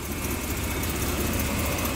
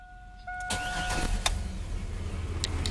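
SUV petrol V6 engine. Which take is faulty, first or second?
first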